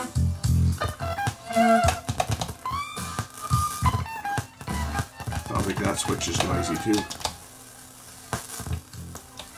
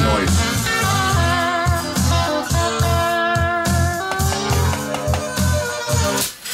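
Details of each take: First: Alpine EL6000 cassette deck playing tape: frequent sharp crackles and pops over the music from a faulty record-play switch, adjustable by two actuator screws. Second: Alpine EL6000 cassette deck after re-soldering cracked switch joints and adjusting the bracket to cure popping: blues guitar plays back cleanly with no pops, crackles or dropouts; rewind still fails from sticking take-up spool.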